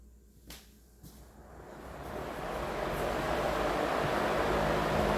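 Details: Vintage Emerson box fan after cleaning and motor oiling, started in intake mode on high: quiet clicks, then smooth rising whoosh settling to even rush, no rattle or scrape; very smooth, normal running.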